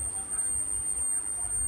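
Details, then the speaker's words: Royal PCE 325S amplifier whistling constantly with a steady, piercing high-pitched tone near 8–9 kHz from power-on, even at low volume; it stops when switched off, worsens with long speaker cables, and there is no sound output; the output stage is oscillating. "มาจากเครื่องเสียงเครื่องนี้นะครับเปิดเครื่องขึ้นหวีดเลยนะครับวอลุ่มลดแล้วนะครับลดลงแล้วนะครับยังหวีดอยู่แบบนี้นะครับ"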